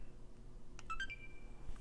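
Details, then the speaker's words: Apparently water-damaged Xbox One S after replacing a faulty buffer IC taken from a donor board: short clear electronic chime at power-on, console now starting up normally. "oh what's that I don't believe it finally it was that buffer I see which I stole off of that board that was it I think she's alive now"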